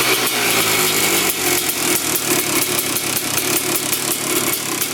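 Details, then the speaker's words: Honda TRX450R-framed quad with TRX250R two-stroke engine and 310cc big-bore top end, after carb cleaning, warming up; crisp raspy loud-piped crackle, clean quick throttle blips returning straight to idle, no air leak, coolant leak noted, normal running. "Yep. Sounds pretty darn good. [Music] comes right back down to idle. So, no air leak. [Music] I'd say it's running pretty good."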